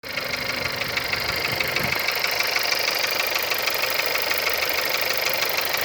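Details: CJZC 1.2 engine at cold idle: fast, regular light knocking, about three per second, over the engine note; knock occurs when cold, cause unknown.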